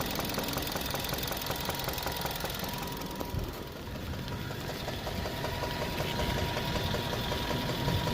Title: ENGINE KNOCKING SUZUKI SWIFT 1.6 SPORT 2013 100K MILES CONROD BEARING PROBLEM...